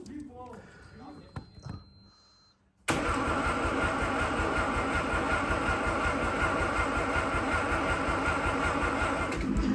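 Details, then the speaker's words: 1985 Mazda RX7 cranked for the first time after sitting 30 years, with starter fluid sprayed in: long, even cranking at about 2.5 beats a second that never catches. A lack of spark is suspected but not confirmed. "yeah this thing's still not wanting to fire up I'm spray a little bit in there I don't think it's getting anything"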